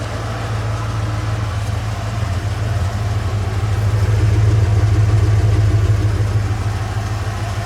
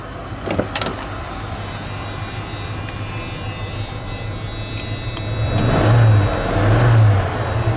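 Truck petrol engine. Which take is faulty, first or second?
first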